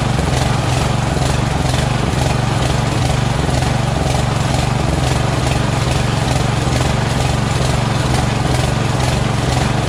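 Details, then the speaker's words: Mower engine surging and hunting at idle, speed rising and falling about twice a second. It runs right only with the choke flap almost closed, indicating a dirty carburetor with a blocked passage; the carburetor is to be swapped for a cleaned one. "so it doesn't run right until i fix the choke so it runs good when the choke flap is almost closed which means that they're this carburetor is dirty"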